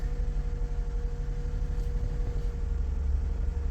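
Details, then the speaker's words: 2016 Toyota Sienna after repair of hard starting, stalling and cooling fans that ran constantly. Coolant reads 93.2°F and the fans are off. It gives a low, smooth, steady idle rumble with no hunting, which is normal. "this that is pretty good and the thing is running as you should not up and down on the idle"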